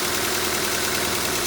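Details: Honda CR-V B20B engine after a head gasket job, with cam timing and ignition timing set using a timing light: a steady, even idle with a smooth hum and no knocks or misses; sounds healthy.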